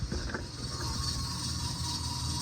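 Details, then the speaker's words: Indoor AC air-handler blower running fan-only: steady whirring with constant scratchy rasp; blower wheel blades detached from hub and dropped, rubbing for a long time. System also leaking refrigerant, 60 psi. "，好像是不对劲。OK， 好像是磨哪个地方，OK， 我们打开室内机看一下。"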